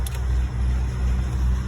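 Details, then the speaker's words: 2008 BMW X3 with no communication with engine or transmission computer and no check-engine light: starter turns over in slow even pulses about two a second, never fires; crank no start, a module not supplying battery power to the ECM. "it's 208 BMW XT which don't start no Communications with the engine computer no Communications with the transmission computer"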